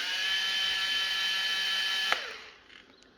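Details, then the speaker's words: Makita 18V LXT line trimmer motor at slow speed. The automatic power-saving mode is thought to spin slowly until it meets load. A high, steady whine holds even pitch, then cuts off and spins down cleanly. Normal running. "Okay, so that'll be like a power saving mode, so it spins slowly until you get a bit of strain, and it'd ramp up the speed then, I suppose."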